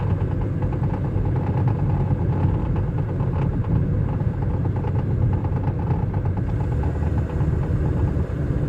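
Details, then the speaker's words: 2005 Chevy Cobalt: quick uneven rattle-knock from underneath near the engine side that changes with road speed; worse when slowing or braking, quieter when accelerating; owner suspects wheel-related parts, steering or drivetrain, unconfirmed. "я не можу поняти, чи це колесо, ну не колесо, а щось там зв'язано з колесом чи що, бо воно міняється зі скоростю."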